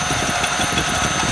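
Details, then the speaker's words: 1996 Jaguar XJ6 at a steady idle after an oil change, with a hissy, tinny metallic rattle. The owner says it sounded like a bearing or similar and stopped when the hissing stopped; cause unconfirmed. "I went like then it shut off, but it sounded like a bearing or something going on. Like a not a bearing, whatever you call that thing."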